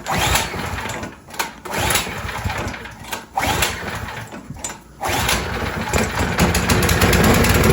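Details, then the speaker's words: Craftsman snowblower, just started after carburetor cleaning, choke on and primed: small engine runs unevenly, loudness rising and sagging every second or so at idle; surging, possibly from bad gas left in the fuel line, may ease once warm. "Now you hear that little bit of surge. Sometimes as they warm up that'll go away."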